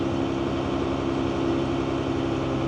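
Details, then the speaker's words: JCB Fastrac 3170 after transmission rebuild, engine revved slightly, clutch let out and engaging at about 50%: steady diesel drone under load as the drive takes up, no slip or judder; clutch engagement healthy. "So as I start to let the clutch out, at around 50% it should be starting to engage the"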